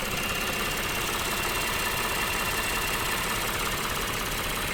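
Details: Lexus GS 300 3GR-FSE, 184,000 km, warm idle: fast light clicking from the engine's left and steady high whir from its right, appeared after heavy water at the engine's rear; cause unclear.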